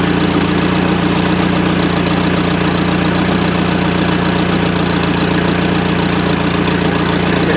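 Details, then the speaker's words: LS-swapped Mazda B2200 truck, first start in 17 years: steady idle with a regular knock about three or four per second over the engine note. Owner suspects a rod knock; not confirmed. "the radiator pan on that sounded like a rod i'm excited"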